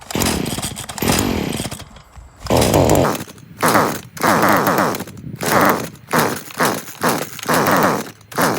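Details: Stihl FS40 string trimmer with fresh fuel mix and the spark arrestor already removed: about nine pull-starts, each a short sputtering burst that dies straight away; the spark plug is oily and carbon-fouled, causing the no-start.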